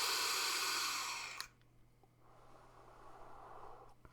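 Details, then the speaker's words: HorizonTech Falcon King sub-ohm vape tank, drawing: a loud rushing airflow hiss lasting about a second and a half. The airflow is really noisy, the tank's one con. "So let's start off with the cons. I've really only got one con for this, and it is the airflow. It is really noisy."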